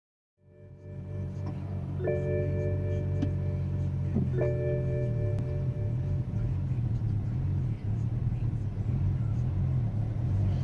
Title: BMW 335i rough idle